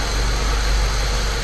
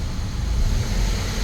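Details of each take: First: Saab 9-3 Turbo, believed to be a 2005, with a slight misfire, after spark plug work and refitting coils, recorded from camera on top of the engine: steady, even idle with smooth low hum, no stumbles; running cleanly on all cylinders. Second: 2005–2006 Saab 9-3 Turbo petrol engine idling then briefly revved, with a lumpy, stumbling beat; a slight misfire felt from the seat, not shown in live data; plugs pulled, misfire from worn spark plugs.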